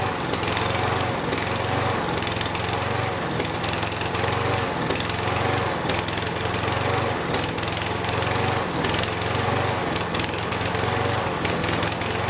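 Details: Husqvarna 6021P mower, Kohler single-cylinder: low chugging drone rising and sagging every second or two, surging idle; test after cleaning under the idle adjustment screw, idle adjustment next.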